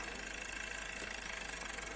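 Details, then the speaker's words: Hachette Lancaster B III model, 3 V undercarriage motor spinning a propeller after alignment: smooth constant buzzy whir with no catching or rubbing; working perfectly once lined up. "once it's all lined up it seems to be working perfectly"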